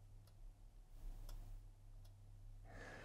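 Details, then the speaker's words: SPL Channel One Mk3 channel strip, tube saturation stage switched to off: over a quiet mains hum a few faint sharp ticks from the relay taking the stage out of the signal path; normal relay click. "and it is off if it's here in the off position there is a relay in the background and you might hear it"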